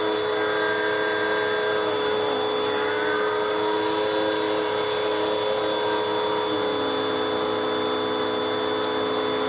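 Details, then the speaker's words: 2013 Hoover WindTunnel 2 vacuum after greasing bearings and fixing brush roll bearings: steady smooth motor drone, even tone, no grinding or squeal, much quieter than before; normal running. "oh it sounds nice it's it's much quieter than what it was and this machine is just from 2013."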